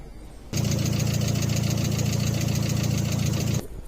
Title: Стук гидриков, решения!